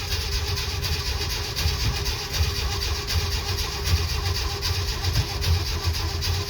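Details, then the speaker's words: 1969 Jeep Willys CJ5 sat about 7 months over winter, cold spring start on jumper cables after dead battery, choke partly pushed in: slow uneven starter cranking around 78 turns a minute, never catches; crank no start. "Get a whole lot of cranking. There, we got power now. Is the choke on? Yeah, I'm gonna push it in a little bit. The cranky don't start."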